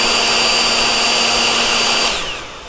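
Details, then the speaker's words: Cooling fan on a Nikola Plus 84V electric unicycle control board, compared with another wheel's fan: loud but even high whir, clean steady tone, no rattle, spinning down smoothly; fan bearings healthy. "it's loud but much smoother sounding it's the same fan - just not high quality"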